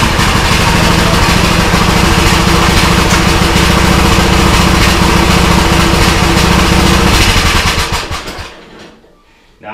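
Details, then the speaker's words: Custom-built Troy-Bilt riding lawnmower bought cheap on Marketplace, old but no smoke, started without choke in garage: strong, even low thumping with lopey cam-like rhythm, no missing beats until shutoff; sounds like it has a cam, healthy idle. "that it sounds like that this ride lawnmower has a cam on it. Keep in mind, I mean, this ride lawnmower is custom built."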